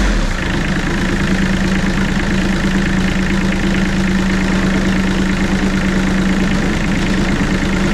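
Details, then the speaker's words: Bomag BMP8500 diesel roller after the throttle solenoid adjustment and fuel filter change: deep, even, steady idle with no misses or hunting, now staying running without dying; runs really good. "all right folks so our little BMP 8500 bow mag well it runs really good"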